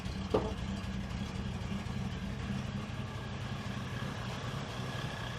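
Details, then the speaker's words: 1973 Ford Maverick 302 V8, hot after its first run in two years, no leaks found. A quiet, uneven low idle with an irregular lumpy beat; the owner suspects a misfire or timing way off. "i think we're okay there's no leaks it just uh doesn't sound very good sounds like it's misfiring or something or the timing is way off"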